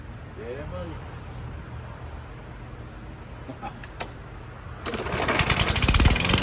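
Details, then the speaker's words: Troy-Bilt TB110 lawnmower after a carburetor and spark plug replacement, starting on the second pull with plenty of oil: a fast, sharp clack clack knock; owner suspects piston slap, unconfirmed. "well I I know why they got rid of this it sounds like a slapp in the Piston the Piston slapping this thing's a piece of junk"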